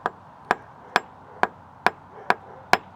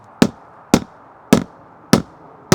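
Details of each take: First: when you are checking for a bad transom you want to hear a solid Ping On The transom and Second: Boat transom tested with hammer taps during used boat inspection: five short dull thuds with no ringing ping, indicating a completely rotted transom core.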